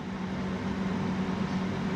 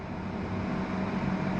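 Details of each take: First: yeah almost five kilowatts 4.5 now everything working fine no abnormal Hamming it's all good Second: Victron Phoenix inverter feeding a Multiplus in series, with a portable air conditioner and pool pump running as constant loads: low steady hum near 200 Hz that swells and wavers. Abnormal inverter hum, cause unclear.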